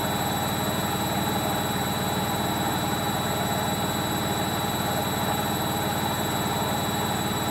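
Steady high-speed spin with a constant loud roar and rumble underneath, no letup; sounds like worn drum bearings on final spin.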